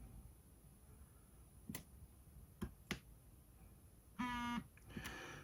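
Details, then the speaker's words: Orbit Writer braille keyboard battery check, on battery power: light key clicks then one long half-second vibration buzz meaning battery over 80% charged. "okay i get one long vibration which means it's over 80 fully charged"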